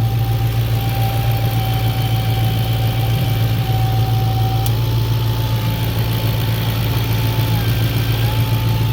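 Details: B7 Audi S4 4.2 V8 with straight pipe and about 200k: a steady idle, with a whistling howl and a changed idle when the dipstick is pulled, so the crankcase holds vacuum with no leak. Normal idle.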